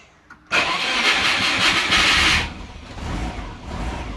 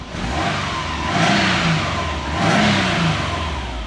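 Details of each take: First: Subaru sleeper with aftermarket ECU, starting the day after the crank/cam wiring shield ground fix: about two seconds of loud cranking before it catches, needing throttle, then a lumpy uneven idle. Hard start; owner suspects transient throttle settings or calibration. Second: Subaru sleeper with aftermarket ECU, after grounding the original crank/cam wiring shielding: it climbs smoothly twice to about 4,000 rpm and settles back without stumbling or cutting out. No voltage loss or lost sync; the trigger dropout is fixed; normal high revs.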